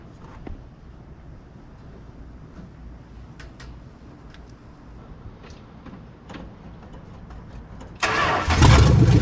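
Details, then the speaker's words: 1970 Dodge Charger 383 V8, 4-speed, barn-find revival, started during radiator flush with a pinched leaking hose: a few quiet clicks then instant fire into a strong, steady rumble; healthy quick start. "Oh! Instant fire. Let this run and circulate for a while. Man, this thing's not half bad."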